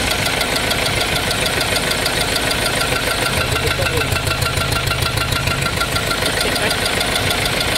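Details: 2.2 engine, 6-speed, with white smoke and coolant mixed with oil: fast regular knocking roughly three a second at idle over a rattly engine; piston rings suspected, cause not confirmed.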